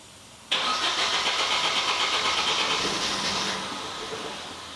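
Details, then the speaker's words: 1991 Nissan 240SX, off the road 10+ years: starter cranks steadily about three turns a second for several seconds but never fires; suspected bad old gas. "You still got bad gas, so it gets in there."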